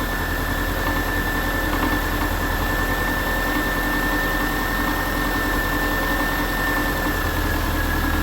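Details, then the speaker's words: Subaru after alternator replacement, idling with a steady thin high whir from the new alternator charging, not heard before the repair; normal alternator whir. "Okay, you can hear that whirring type noise from the alternator actually charging, which I couldn't even hear that before."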